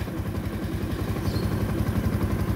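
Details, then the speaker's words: Motorcycle, idle ("minor") after being adjusted lower: steady, even low putter with no clatter or knocking; the noise is gone and the engine idles quietly. "Ito lang naman ay na-adjust. Oh. Wala nang ingay."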